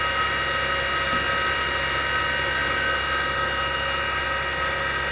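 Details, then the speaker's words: Small former military Carter rotary converter running unloaded: steady high whine with a rough, gritty edge from worn motor bearings, which need replacing along with the carbon brushes. "but when they are noisy like this they may already have taken some damage so they better be replaced"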